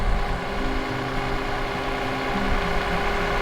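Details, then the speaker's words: Car idling smoothly right after a jump start with the JF-EGWO F40 jump starter: steady low hum, no knocks or misses. Normal idle; it should run about 20 minutes so the alternator recharges the battery. "all right so as you can hear the vehicle started but what you want to do is you want to leave the car running for maybe 20 minutes so that the alternator can recharge the battery"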